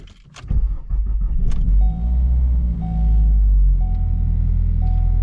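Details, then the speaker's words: 2012-2018 Ford Focus at idle after startup: a heavy, low shaking drone, a horrible vibration. Clutch and flywheel were checked and ruled out; owner doubts the axle and suspects the motor mounts. "a horrible vibration so I have went back and looked at the clutch and uh flywheel and all that to see if that was the issue it's not"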